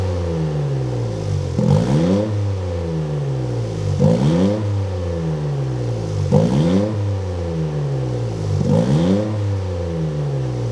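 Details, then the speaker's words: Freshly built Toyota GR Corolla: four clean throttle blips, revs rise and fall smoothly without stumbles or pops; misfire count 0, D-Works injectors confirmed as the misfire cause. "We have a misfire count of 0. Revving up the car, dude? 0 misfires."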